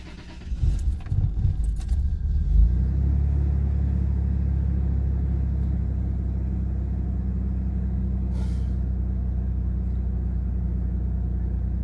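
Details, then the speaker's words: 2001 Toyota Tacoma at about 175,000 miles, first start after fuel filter replacement: brief cranking, catches at once and settles to steady even low idle with no stumble or miss; healthy start. "Wow I thought I was gonna have a lot more stutter than that I thought I was at I was actually gonna shut off one or two times but guess not we did a pretty good job"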